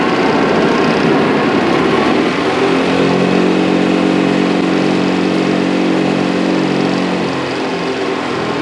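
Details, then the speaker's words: Workshop chip/dust collector before rebuild: loud constant throb with deep pulsing growl, growling for a long time; major impeller imbalance and worn impeller and motor bearings, later fixed with new bearings, belts, balanced impeller, new volute. "so as you can hear uh it didn't sound too healthy that thing has been growling for a long time uh the impeller had a major imbalance in it"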